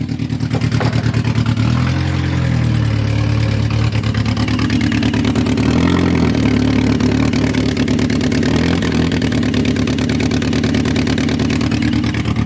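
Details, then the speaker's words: 2006 Saturn Ion 3, exhaust pipe blown out on the side after temporary JB Weld and aluminum tape repair failed, battery voltage low: loud raspy idle with sharp chuffing pulses well above normal exhaust volume; exhaust leak. "Yeah, that thing's loud. Dang, man. That's why I gotta get it fixed, so we're gonna work on that right now."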